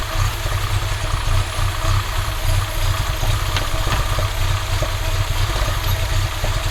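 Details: Audi 2.2 with Bosch K-Jetronic, new old-stock Bosch injectors fitted: fast uneven idle with sharp pops over exhaust drone; owner suspects over-fueling and plans to lean the mixture screw, adjust idle screw and sensor plate level.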